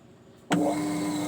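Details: Modified Hitachi top-load washer starting spin-dry with the gear/spring adjusted: motor kicks in with a smooth, steady hum and no grinding. Normal spin start.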